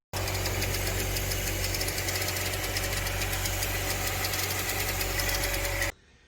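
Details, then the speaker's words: Saab 9-3 Ecotec engine at idle, noise from passenger side: fast light chirping click over the hum; balance shaft chain slapping, possibly from a plastic guide or tensioner. "hey so i've been hearing a pretty weird sound coming from my engine it's sort of like this chirping clicking sort of noise"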